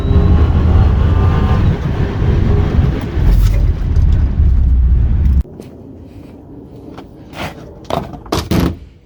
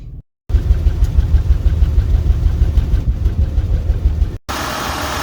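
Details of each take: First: 2003 Acura TL V6 driving after the dead ignition coil was replaced (misfire codes P0300, P0301, P0303–P0306, P1399 and new plugs beforehand): deep, steady, even engine rumble with no stumbles or misfire. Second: 2003 Acura TL V6 with codes P0300, P0301, P0303, P0304, P0305, P0306 and P1399 idles with an uneven puffing misfire despite brand new spark plugs; unplugging one coil changes nothing, so the owner finds that ignition coil dead and replaces it.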